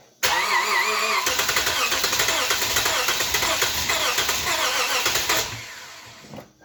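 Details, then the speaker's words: 2010 Lexus IS250 that threw its serpentine belt while driving; owner suspects the AC compressor is locked up and keeping it from starting. Starter cranks steadily about five seconds but the engine never catches; crank no start. "yep she doesn't want to start and i think this guy right here it just wasn't turning at all and that's what's keeping the poor little engine from starting"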